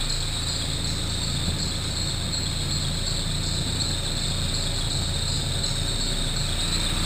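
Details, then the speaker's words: Saab 9000 turbo with a brand new alternator at idle: steady high, insect-like chirping from the alternator, present since it was installed. "I also replaced it's a brand new alternator in it but the alternator makes this chirping sound it has since I put it in"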